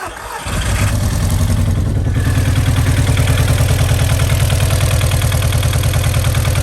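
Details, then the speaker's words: Audi TT bought unseen: cranks, fires at half a second, then idles with a lumpy, uneven chuff about two per second; rough running, owner doubts a fuel pump issue and suspects it is struggling for compression. "sounds like it's struggling for compression a bit"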